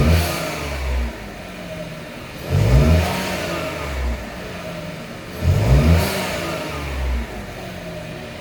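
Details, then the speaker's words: Buick Encore GX / Chevy Trailblazer 1.3 turbo after installing K&N air filter: two clean throttle blips about three seconds apart, each falling smoothly back to quiet idle; normal revving. "And this is what it sounds like when you add the Can-Am filter to your car on your GX Encore or your Trailblazer with the turbo 1.3 is what it sounds like. It sounds really good."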